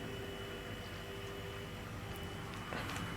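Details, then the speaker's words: DIY refrigeration system after r600a charge: quiet steady compressor hum like an ordinary fridge, no clatter; earlier funny noise thought to be refrigerant boiling off, coil frosting, compressor running normally. "yeah I know I know it sounds like a refrigerator now see it okay"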